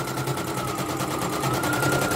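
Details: Serviced embroidery machine, previously jamming with skipping bobbin-case hook; test-stitching: fast even clatter about ten stitches a second, steady motor hum, no catches or jams; stitching normally. Renewed jamming would mean worn dynamo shaft.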